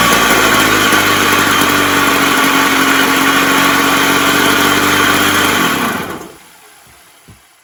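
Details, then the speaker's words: Puch Maxi moped two-stroke engine bought seized, freed and rigged on a bench with carb, fuel tank and handlebar throttle, choke on; first start catches quickly, buzzy steady tickover slightly high then cut off; runs cleanly, fast idle. "But see how quick it started. That was honestly the first start. So yeah, we have a runner, and it sounded okay for the brief time I had it running."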